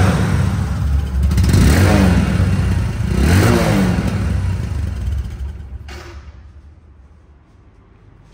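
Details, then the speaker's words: Second-hand Bajaj Discover 125cc, engine claimed untouched, battery run down, kick-started on first kick; small even idle pops, two clean throttle blips rising and settling, no knock or rattle; normal idle and revving, showroom-condition sound. "Sound কোয়ালিটিও একদম showroom condition sound এবং engine নিয়ে কোনো ভাবার কোনো দরকার নেই, যা দেখানো হয়েছে ওইটাই কিন্তু আপনারা পেয়ে যাবেন।"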